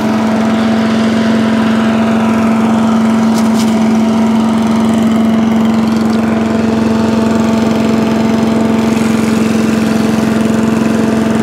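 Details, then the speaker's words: Allen chipper leaf shredder's small single-cylinder engine, started stone cold on choke after carb cleaned twice: dead-steady even hum without surging or misfires; healthy, settled running after repair. "so there you go chipper shredder done okay so there you have it one chipper shredder now all done"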